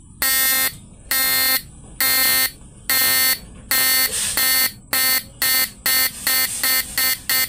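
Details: Repaired PDC 4-FET mini stun inverter with replaced PWM, under load, 105 multilayer capacitor swapped for 50 V 10 µF electrolytic: loud high buzz in bursts about once a second, speeding slightly; normal slow pulsing.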